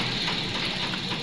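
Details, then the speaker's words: 2017 Toyota Corolla 2NZ engine after repair for two dead cylinders (misfire, no power): steady, even idle with no misfire or knock; pulling a coil now causes a miss instead of stalling, all cylinders working. "पहले य अगर निकाल दो तो गाड़ी बंद हो जाती थी क्योंकि दो सिलेंडर पर काम करती थी अब बंद नहीं हो रही गाड़ी"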